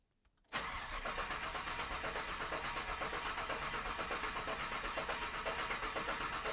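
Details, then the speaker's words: 1998 GMC Sierra, 13,341 miles, Holley Terminator Max ECU, coils unplugged to prime oil before first start: even starter cranking about four beats a second without firing; no oil pressure reading shown, sensor suspected faulty. "and we have the coils unplugged. Joe's going to crank it. We should see some oil pressure here."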